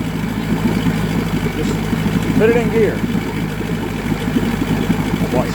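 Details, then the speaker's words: Mariner outboard motor, also hard starting: steady low putter at idle turns lumpy and uneven once shifted into gear, close to stalling; motor dies in gear. "See, it dies in gear."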